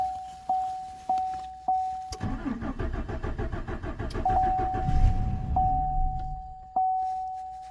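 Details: 2014 Chevrolet Silverado 4.3, fuel pump recently replaced after external leak, gauge showing just under 1/4 tank: door chimes then about three seconds of steady cranking that never catches; crank no-start from empty tank, fuel level sender defective or inaccurate, runs after adding gas.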